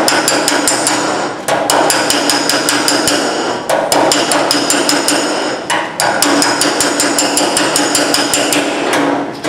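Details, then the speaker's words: Metal panel work, tapping up a low spot: quick, bright metallic dings in steady runs with short pauses; each blow rings cleanly, showing the hammer lands squarely over the dolly. "you hear it dinging that's hammer on Dolly that's what you"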